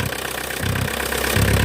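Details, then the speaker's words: VW Mk2 Golf 1.6 diesel, first start after the engine was refitted, cold and without choke: rough, uneven idle with loud low clatter rising in waves; noisier than normal because a tube going down there is missing. "I do need to get a new tube that goes down there. It is a bit noisy without it,"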